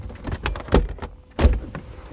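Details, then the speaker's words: Mercedes 300SL R129 convertible after roof control module repair, test module connected but not bolted in: short electric motor whir in bursts with solid clunks as windows drop and roof starts moving; roof and windows work normally. "roof works just fine windows and that's about it"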